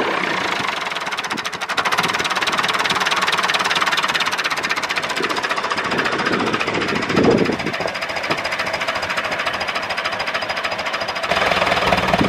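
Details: David Brown 996 diesel tractor, left sitting about 10 years (since around 2012) in undergrowth, first start after sitting: even diesel knocking at idle with no surging or dropouts over background noise; normal idle, though throttle noted stuck.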